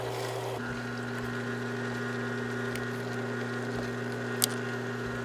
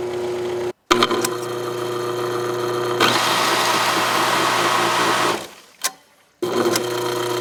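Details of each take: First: Aqua-Flo XP2E pump motor on Dynasty hot tub after loose-bearing repair, low, high, then low speed: smooth steady hum, no rattle, much quieter; normal pump motor running. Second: Aqua-Flo XP2E pump motor on Dynasty hot tub, heard with side panel on at low and high speed: steady hum with rough fast rattle, fading as it stops; loose bearing spinning in housing.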